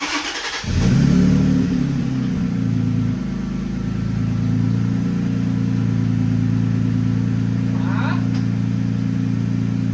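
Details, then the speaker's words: 3rd-gen Toyota Tacoma starting after throw-out bearing replacement: engine catches and settles into a steady, even idle with no squeal from the clutch release bearing; sounds healthy. "I'm gonna start it up I think it's ready to go so fingers crossed it won't squeak anymore let's see"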